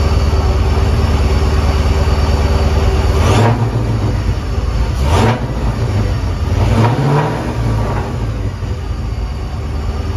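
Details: 2001 Mustang Bullitt with Tork Tech supercharger after fitting new idler pulleys: deep steady engine drone with smooth revs rising and falling cleanly, no squeal or rattle from the belt drive.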